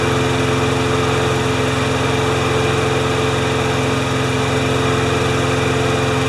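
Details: Briggs & Stratton 6.5 hp flathead mower with primer bulb, which started then stalls. After being tipped on its side it starts, chugging steadily with a slightly uneven beat and running poorly; a minor carb clean is planned.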